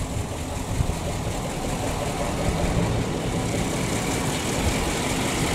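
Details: PAZ-672 bus GAZ V8 idling after valve adjustment with valve covers on, no leaks: even steady soft low rumble, no knocking or tapping; earlier knock gone, normal idle.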